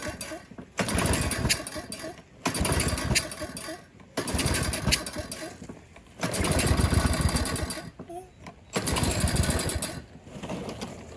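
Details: Push mower that sat six years with water in the engine, first run after new parts fitted, before the new air filter setup: engine bursts into rough running for a second or two, drops off and picks up about five times, unsteady surging.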